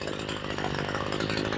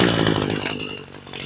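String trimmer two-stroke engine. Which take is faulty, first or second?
first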